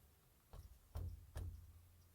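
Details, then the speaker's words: Nissan Xterra C-200 rear differential at 221,000 miles, with the carrier removed: three dull clunks as the pinion is rocked by hand show shaft free play grinding the ring and pinion. The bearing runs smooth; lash likely comes from a repeatedly loosened yoke-to-pinion nut. "A play in it that's causing that grinding against the ring gear and the pinion gear. It's not so much coming from the bearing. The bearing is running smooth."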